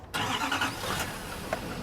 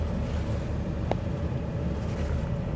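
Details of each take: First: Chevy Duramax diesel truck at a dealer auction, cold start: short crank, then fires up cleanly and settles into a steady clatter without stumbling and no smoke; healthy. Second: Jeep Liberty at dealer auction, idling: constant deep, coarse, loud rumble without muffler smoothness; exhaust issues suspected, possibly a missing muffler.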